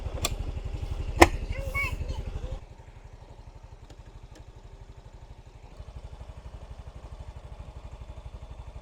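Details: Yamaha Mio Soul i 125 scooter warming up after valve clearance adjustment, complaint hard starting when hot and a metal-on-metal noise near the tensioner: soft, even idle putters steadily after handling thumps, no top-end tapping; engine now quieter.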